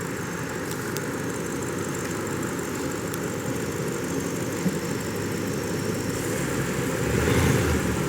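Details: 2005 BMW 645Ci 4.4-litre V8, cylinder 6 misfire returning above 2,000 rpm despite new plugs and coils; power-braked in drive under load, rough uneven beat beneath steady drone; misfire called as a failing ignition coil.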